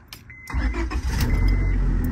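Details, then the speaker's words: 2004 Honda Civic after replacing the faulty ignition starter switch that caused no-start with clicking: brief crank catches quickly, settles into a steady, even idle with no stumble or odd noises; normal start. "he that so yeah I'm glad that we got it stting fine now running good"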